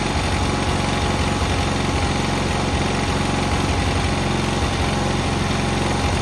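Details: Cub Cadet 682 tractor with Kohler KT17 twin, first start after jumping the solenoid, on a battery charger: an even, steady twin-cylinder chug at idle with no misses or knocks; running smoothly and healthy.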